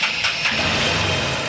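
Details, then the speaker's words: Motorcycle engine just started, settling into idle: light, fast metallic tick-tick from the top end; tappet noise from loose valve clearance. "இப்ப இந்த வண்டில பாருங்க டேபிட் noise வருது இது டேபிட் noise"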